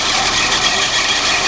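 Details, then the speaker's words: 1972 Lincoln Continental, 460 (7.5L) 4bbl V8, single exhaust with resonator, cold start on choke: catches and settles straight into a steady, even fast idle with no misses or knocks or smoke; engine in good shape. "but uh that's actually a Testament to how good a shape the engine is in because it's hard on a motor to start it up cold like that and be able to immediately get out"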